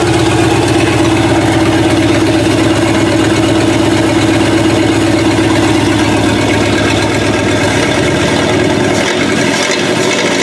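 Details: Chopped 1950 Ford Shoebox V8, after 20–30+ years sitting, on a 12 V battery instead of 6 V with an electric fuel pump: open pipes burble at a steady, even idle with a regular low thump, no misfires; healthy.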